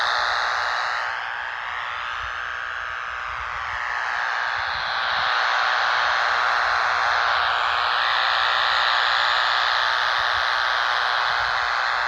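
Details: Radio in a car at location 6, near poles on private property: harsh, even buzzing hiss pulsing steadily and swelling on approach, fading down the street; suspected arcing line hardware, cause not confirmed.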